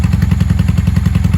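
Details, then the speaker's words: 1995 Honda Shadow 600 VLX VT600CD V-twin, cold start without choke after carburetor tuning: deep, lumpy beat at steady idle with none of its usual popping or misses; normal cold idle. "Usually she's cracking and banging by now. There it is. She sounds really good."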